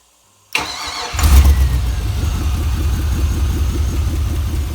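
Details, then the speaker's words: Junkyard GM 5.3 V8 for a 1955 Buick Special swap, with mufflers: starter whirs, catches and settles into an even steady idle with smooth exhaust pulse; runs good, oil pressure good. "it runs good oil pressure is good"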